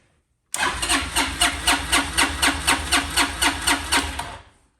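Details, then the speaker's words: $10 auction Honda Helix scooter: even starter cranking at about four compression beats a second for four seconds without catching; it fired on starting fluid, pointing to a fuel issue. "All right, so it fired off with starting fluid, which is good. So it's a fueling issue."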